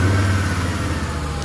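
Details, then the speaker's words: 1994 Acura Vigor GS after replacing holed exhaust pipes, heard from underneath; smooth deep rev rising and settling, quiet, no puffing, ticking or hiss; normal exhaust, no leak. "all right so that's what the exam sounds like nice and quiet right you guys don't hear"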